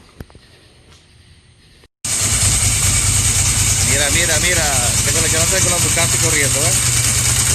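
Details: 1999 Ducati 996 twin started after an in-tank fuel pump installation: after a quiet start it fires up and settles to an even, lumpy rumble with clean rising and falling revs; healthy running.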